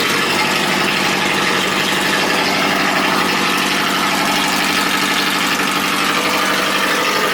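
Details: JDM Subaru EJ20 SOHC boxer, freshly rebuilt with a CX Racing dual ball bearing turbo, first start after priming oil, no air filter: steady idle with even low rumble and light turbo hiss, no knocks or misses; normal idle.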